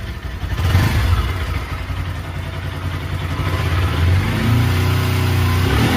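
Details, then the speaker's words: Bajaj Pulsar NS200/RS200-type single-cylinder bike, after tick-tick noise repair and reassembly: revs up and holds steady with only a faint light tappet tick left; running normally. "कि वे काफी हद तक हमारा यह जो शामिल है वह सॉल्व हो चुका है एंड आरएस थोड़ा सा टेपेट का साबुन रहता है पहले से ही तो यहां पर इतना साउंड वह चलेगा बट काफी हद तक जो फिक्शन वह बंद हो चुका है"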